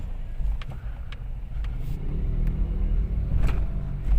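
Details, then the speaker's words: Toyota Wigo after replacing two stabilizer bar bushings, earlier stabilizer link and shock mount replaced: low road rumble on a slow test drive with no more suspension clunk heard. "wala na sir may naririnig ka ba sir Wala na Wala okay na okay na"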